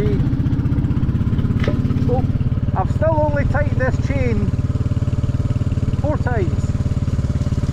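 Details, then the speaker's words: Royal Enfield Classic 350 (J-series) ridden in third gear under load on a hot day: steady single-cylinder thump with an irregular knocking on top. Cause is not stated. "oh that's third gear oh oh oh oh oh oh listen that knocking hell out"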